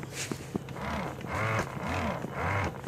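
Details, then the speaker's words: Peppermint spinning snow-woman toy after umbrella-arm repair: a small motor whirs in cycles of about a second, with a rough cracking grind as the arm lifts but not as it lowers; the arm gearing is suspected. "And when the gear I placed her umbrella arm, it sounded like it's splitting when it goes up. It sounds like it's splitting for some reason."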